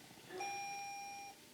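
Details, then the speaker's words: Car running with its mass airflow sensor deliberately unplugged to set codes (scan later shows intake air temperature sensor circuit faults): a single clean ding holds for about a second in a quiet cabin, a dash warning chime. "unplugged our mass airflow sensor. I hear the car dinging away in there."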